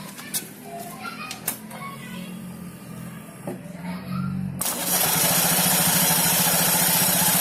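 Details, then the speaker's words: Honda Beat FI Eco scooter idling with CVT cover off: rough, fast rasping churn three to four beats a second, traced to the V-belt's uneven edges; owner also reports grek-grek vibration at certain rpm. "Jadi suaranya itu kasar ya, seperti ini. Tapi untuk suara kasar seperti ini kayaknya ini dari pendel ya."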